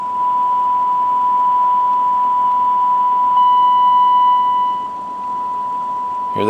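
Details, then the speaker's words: Well-used radio receiving a strong signal from a signal generator, with its meter stuck: a clean steady tone with constant hiss or white noise underneath that shouldn't be there. The owner suspects the receiver is out of tune or faulty. "that hissing noise in the background signal this strong you shouldn't hear any hiss I don't know if the camera can pick that up or not but um some white noise coming in there with a signal on that shouldn't be"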